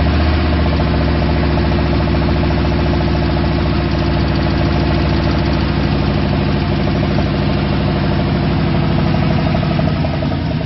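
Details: V8 at its first start after a rebuild with new gen 4 rods and pistons, oil pump, cam, lifters and gaskets: a steady, even idle with a smooth low rumble and no knocks or misses. Running healthy.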